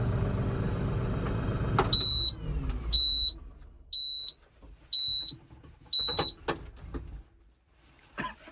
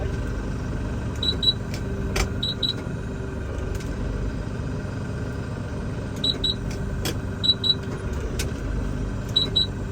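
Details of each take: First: LS MT357 compact tractor, power clutch cab version, on delivery day: engine winds down then five evenly spaced high beeps about once a second, warning it was shut off without the parking brake engaged. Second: LS MT357 compact tractor, power-clutch shuttle cab version, at diesel idle while shifting direction: pairs of sharp high beeps come in clusters. These are the normal shuttle shift alert beeps.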